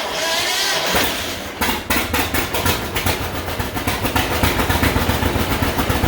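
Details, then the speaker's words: 1951 John Deere Model A, first start after about 30 years sitting, on booster, no coolant: after a rough catch the two-cylinder settles into a slow, even putt-putt at low idle on initial settings with oil pressure showing; healthy. "it says we have oil pressure look at that low idle just on initial settings"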